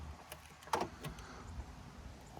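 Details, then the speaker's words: Few quick, crisp mechanical clunks as the door locks cycle on a 2013 Honda Fit, central locking working normally after disconnecting the faulty door lock knob switch that caused random repeated locking. "so the doors are all locked driver do unlocked all doors unlocked"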